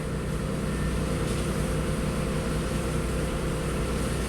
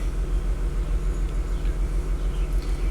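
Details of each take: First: 2004 Audi A6 wagon with a 3.0 L V6 and about 110,000 miles, check-engine light with MAF, fuel-trim and misfire codes: smooth, even idle with a steady low hum and no misfires at startup. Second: 2004 Audi A6 wagon, 3.0 V6, about 110,000 miles, idling: deep rumble with an uneven lope, about two stumbles a second; misfire counting on cylinder two, new ignition coils recommended, MAF sensor fine.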